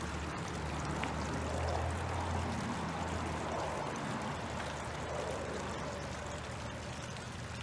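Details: Mercruiser Bravo sterndrive after sea water pump impeller replacement and flushing out impeller chunks: steady low idle with constant splashing of water flow, healthy cooling output.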